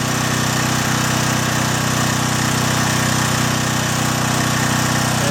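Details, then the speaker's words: John Deere/Briggs and Stratton generator, after carburetor cleaning and fuel line replacement: 1500 W load on the right-hand outlet, engine loads down a bit but holds a steady, even drone with no surging; running healthy. "Same thing again. I'm going to use the high setting. 1500 watt setting. You hear it load down a bit."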